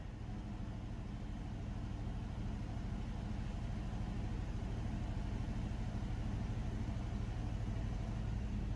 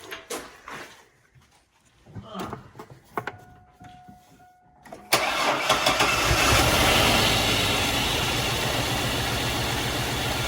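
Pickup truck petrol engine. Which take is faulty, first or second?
first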